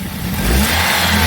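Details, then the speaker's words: Car revved after fixing a dead-cylinder misfire: picks up cleanly and holds smooth even note, no stumble or popping; running healthy on all cylinders. "Oh, that sounds beautiful. So, we got that all running."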